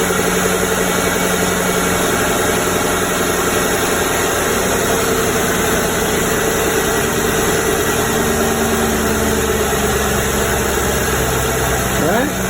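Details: 2008 Mercury Grand Marquis V8 just after spark plug replacement: even, steady idle with a constant low hum and no misfire or rough pulses; normal idle.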